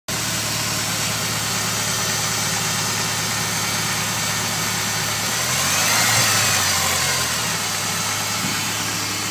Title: humming/whining noise?